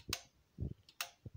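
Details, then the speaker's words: Aged stereo amplifier's speaker protection relays, heard while turning the speaker A/B selector: several crisp clicks, some with a dull thud, on a quiet background. Channels A and B click alike, so the relays are switching normally. "the relays are making quite a loud noise when we are selecting the channel we like to listen and right now these clicks sound the same so Channel A and B are having same click sound"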